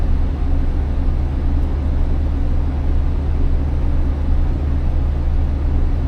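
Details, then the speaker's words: Class B diesel school bus at its air brake check, held at about 1,000–1,100 RPM to build air pressure toward governor cut-out: deep, even rumble with a smooth pulse and no knocks; normal fast idle. "I'm going to give it a little bit of gas to help build the pressure up a little bit faster. I'm going to try to stay around 1,000 to 1,100 RPMs."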